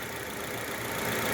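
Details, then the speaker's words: 2016 Citroën C3 1.5 after fixing engine noise: steady even idle, smooth hum, no tapping or misses; normal idle, no valve adjustment needed. "o barulho no motor né olha aí ó eu vou lá pronto resolvido barulhinho Sininho filézinho"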